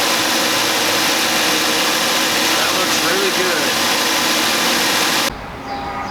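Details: 2010 Mazda CX-7 started after motor mount replacement to check the mount isn't wiggling: steady, even engine running under a heavy hiss, with no knocks or clunks, then a sudden drop in level; normal idle.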